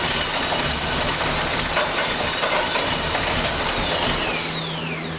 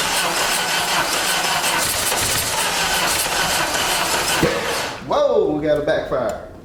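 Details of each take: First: 1989 Dodge Daytona junkyard car, first run after transmission fluid soak, brake cleaner and bad gas: catches and keeps a steady busy clatter, no knocking, smoking; runs normally. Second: 1989 Dodge Daytona from a junkyard with no fuel system hooked up, gas sprayed in: steady cranking, then a sharp pop and a sputter; backfire while cranking, and it needs real fuel delivery to run on its own.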